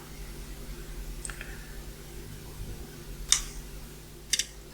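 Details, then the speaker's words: Relay in a tube amplifier's new external transformer/power supply, after changing its capacitor: crisp single clicks about a second apart over faint mains hum, no chatter; switching cleanly. "I would say that is switching very well so let's switch that off again and remove that"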